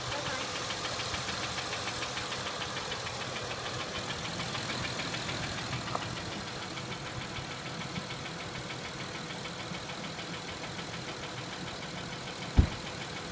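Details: Acura MDX engine at steady idle with fast, even light ticking, no change in speed; top-end tick, cause unknown.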